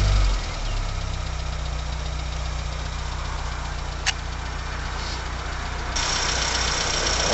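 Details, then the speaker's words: 1980 Leyland Mini small four-cylinder, restarted after about 3 months sitting, battery connected and water topped up; warm idle, really quiet, even smooth hum without tapping or stumbling; water pump dripping, new pump on hand; normal idle. "okay that's no Troke now and this is when she's really quiet"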